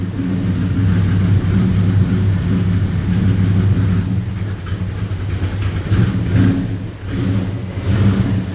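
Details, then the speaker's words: Holden HQ with small-block Chevy V8, started cold and running rich, idling rough and lumpy at steady RPM with a fierce misfire on one or more cylinders, engine bouncing; owner reports sluggishness; not a large cam. "so you can see on a constant rip we've got that misfire see the engine bouncing quite quite fiercely"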